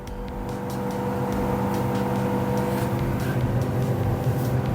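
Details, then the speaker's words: Samsung 400-liter inverter refrigerator that wasn't cooling, with the control board blinking 12 times; after repair the freezer fan runs with a steady whir and even low hum, no ticking or scraping; compressor not yet started; normal freezer fan running. "Now you can hear the noise. The freezer fan is already working. Now I can complete the job. Fan is working already."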